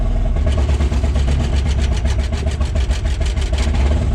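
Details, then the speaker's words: Takeuchi TL12 V2 with Kubota V3800 diesel, injector stop test; number two cylinder injection cut, loud diesel clatter pulses unevenly and lumpy, making a drastic difference, so cylinder two is working. Engine stumble with one cylinder cut out. "okay you had to hear that number two cylinder made a drastic difference in how this machine was running"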